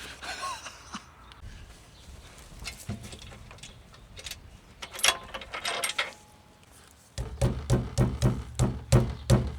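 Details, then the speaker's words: Newly fitted heavy skid plate under a Dethleffs Globebus Performance 4x4 motorhome, protecting differential and gearbox, being struck: firm, dull thuds that die cleanly with no buzz or rattle; the mounting is solid, no rattle. "So sollte es klingen. Kein Klappern."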